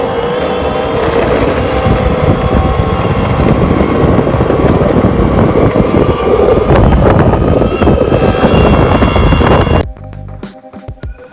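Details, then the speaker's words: Boosted Board Stealth, about eight months old with 398.4 miles, that started making noise a couple of months earlier. Loud rumble with an uneven rattle and faint whine from one wheel; owner suspects worn bearings. "And a couple months ago, it started to make a little bit of noise."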